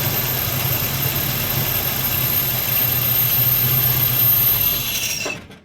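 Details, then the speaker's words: 1968 Ford Mustang after sitting 30 years, kept alive on brake or carb cleaner: steady, even idle with a smooth low rumble and no knocks or misses until shut off; owner suspects the fuel pump is bad. "That's running, guys. It's running. No way. It sounds great."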